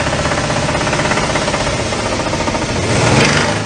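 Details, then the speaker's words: Toyota Tundra V6 engine under recall, built with swarf left inside: rapid, heavy metallic knocking rattles over the running engine. The debris caused early engine failure, described as a death rattle. "Now, it turns out when they were putting these engines together, they forgot to clean things properly and they were actually full of swarf. So, what would happen is within short order, the engines would fail."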